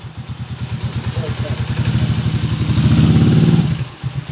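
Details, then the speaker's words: TMX125 bored to 155 cc, after an overhaul of a previously noisy engine and a road test: an even, steady single-cylinder thump that swells smoothly with throttle, with no clatter or knock. Normal running. "brad narinig niyo na yung andar niya Kaninang maingay mga kabo ito na yung andar niya ngayon napaka smooth na mga bro"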